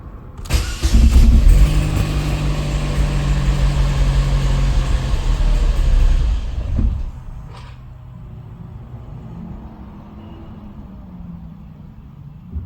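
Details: Opel Astra G SRi, Z22SE engine: lumpy uneven revving about six seconds with stumbling beat, then rough idle; misfire, cause not yet pinned down, throttle butterfly moving.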